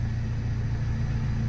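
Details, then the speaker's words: Honda Civic losing coolant (steaming from exhaust), after Bar's Block Seal stop-leak treatment, not yet warmed up: steady even idle with no ticking, knocking or stumbling; normal idle for now. "sounds like it's hiding ok"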